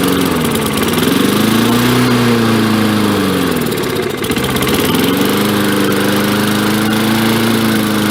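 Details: 1965 Briggs & Stratton 82906 3 hp wind-up-start engine, sat for years, first run with only fresh gas and oil, main jet possibly clogged: fast even single-cylinder beat, speed wavers once then recovers; runs smooth and healthy.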